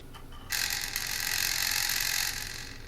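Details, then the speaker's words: Internal speaker of a 2002 first-generation iMac G4 15-inch, blown while running Ubuntu 6.06: a harsh, buzzy, crackling rasp lasting about two seconds, all fizz and no body. Owner says it is over-amplified and miscalibrated. "the speaker made an absolutely horrid sound because it's like way over amplified and miscalibrated."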